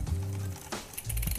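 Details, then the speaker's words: Mountain bike, Shimano front derailleur on the inner ring, rear shifted to about sixth gear: steady whirring drivetrain with a rhythmic scraping rasp. Front derailleur cage rubbing the chain before L-screw adjustment. "okay so in a ring adjustment here for the front neck and as you can hear the mech is actually fouling the chain"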